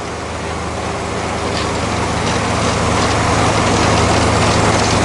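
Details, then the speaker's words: Zero-turn mower after replacing deck spindle and idler pulley bearings, engine running with blades: steady drone climbing slightly, smooth with no growl or whir; formerly loud bearing noise gone, normal running. "did you notice there's no bearing noise used to the bearing noise was so loud that you almost couldn't hear the engine or the blades over the bearings"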